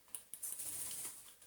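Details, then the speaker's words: Dyson DC35 cordless vacuum with a known good battery: a few light dry clicks from the trigger micro switch but the motor does not start; the trigger switch is broken. "can even hear it clicking the little you know micro switch that's under there"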